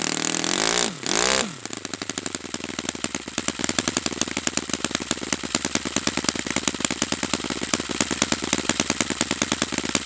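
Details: Brand-new Saito FA-100T twin model engine on test stand during break-in run: brief blip of revs, then a crisp, evenly spaced firing beat with no misses; running perfectly, strong and clean, normal.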